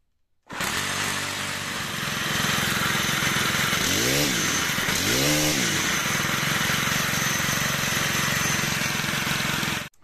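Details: Stihl HT-103 pole saw, 4-mix engine, after valve adjustment fixing a no-start: starts crisply, idles evenly, takes two clean throttle blips and drops straight back; normal running.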